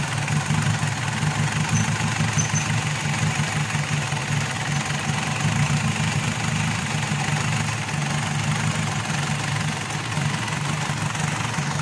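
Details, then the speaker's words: Mitsubishi Pajero diesel that starts then dies after about a minute and keeps running only while the priming pump is pumped. Rough idle with a low rumble and knocking; weak injector return flow shows internal leakage and low injection pump pressure. "So kinukulang talaga siya ng ah pressure compression y yung ah kinukulang siya meaning lumulusot so chineck natin yung ah return yung return niya ay mahina din yung tulo"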